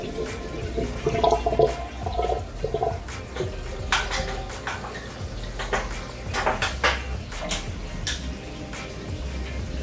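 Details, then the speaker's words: 120-gallon aquarium overflow: irregular sloshing gurgles and glugs as an arm in the water sends extra flow down, spilling into the emergency drain, which has no siphon and gulps air. "you guys can hear the gurgling of the overflow probably cuz they my arm takes up volume when I put it in the water sends a bunch of extra water suddenly down the Cobra flow and then it uses the emergency which the emergency doesn't have siphon so it makes noise"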